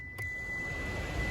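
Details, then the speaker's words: 2007 Mitsubishi Lancer heater/AC blower fan, previously loud, plugged in and tested after repair: soft, even whir with a faint high tone and no rubbing or scraping; now running quietly. "okay it's operating nice and quiet so let's hope it stays that way"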